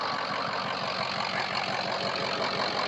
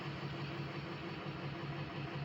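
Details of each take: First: Diesel truck after all 8 glow plugs were replaced; the once choppy exhaust now sounds solid. Even clatter at about three beats a second, steady and unbroken. Number 3 injector still due for replacement. Normal cold idle. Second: Diesel project truck idling after all 8 glow plugs replaced: soft, uneven lope stumbling every few beats; code shows cylinder 3 misfire, struggling to build speed, injector suspected and to be buzz tested.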